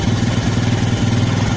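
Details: Small carburetted motorcycle engine idling: steady, even low beat with no stumbling or misfires.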